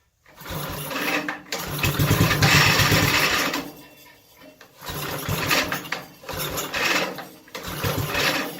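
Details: Mini race mower with a small old 5-horse single-cylinder engine, started on choke, with fuel screw adjustments. The engine revs up and sags in waves every couple of seconds, hunting rather than holding speed; the owner thinks it is a little off on fuel.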